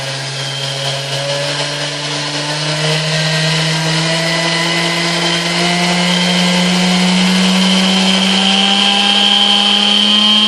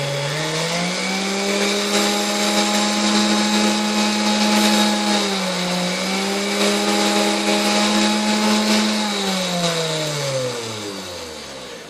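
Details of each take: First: 1960s Hamilton Beach Model K stand mixer after maintenance and service, heavy grime scraped off, turntable still missing: even motor hum rising smoothly in pitch as it comes up to speed, no grinding or knocking; a smooth, healthy run. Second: 1960s Hamilton Beach Model K stand mixer before service, debris clogging inside: smooth, steady motor hum that dips slightly and recovers but barely changes pitch across speed settings up to high, then winds down; runs smooth, but the speed control has little effect, cause unconfirmed.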